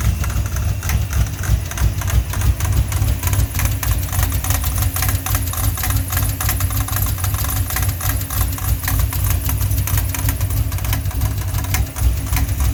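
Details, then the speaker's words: Ford 5.0 V8 at idle after smog pump delete, fitted with a serpentine belt just too long, thought to be a 90-inch where an 89-inch is needed: fast, uneven slapping clatter about three times a second over the idle, the too-long belt flapping; fix is correct-size belt. "so yeah that knock you know i mean you're gonna have that knock if you change uh if you do a small punk delete you're gonna have to get the right size built"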